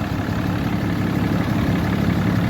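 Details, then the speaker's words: 2012 Ram 3500 6.7 Cummins diesel at idle after replacing a water pump with a loose, rough pulley and a broken belt: steady, even low rumble, no knocks, squeals or misses, smooth idle, no leaks, running cool. "all right everything is running nice and cool checked it out didn't have any leaks"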